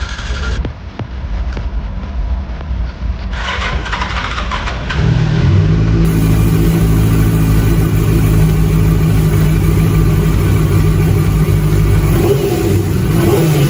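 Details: Chinese-language engine teardown (QJ 600 context): the engine catches after a few seconds of cranking, then holds a steady, even rev with no knocks or rattles over the exhaust note. Normal revving, no abnormal noise.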